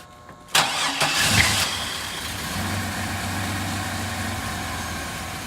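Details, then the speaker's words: 1999 Chevy Blazer, 141,000 miles, owners suspect the fuel pump but have no fuel pressure gauge: cranks briefly, catches with a burst, then runs weak and uneven and sags as if starving; it's not getting fuel. "It's not getting fuel. We gotta figure out why that is."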